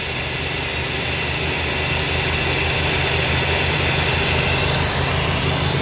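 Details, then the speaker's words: Lazy Daze 22-foot motorhome after exhaust leak repair with new muffler and tailpipe, first start: quiet, even exhaust burble at idle with steady low pulse, no ticking, puffing or leak hiss; dog box open makes it slightly louder; normal idle, healthy exhaust. "Alright, I'm getting ready to start it, see how it sounds. Oh my god. Pretty quiet."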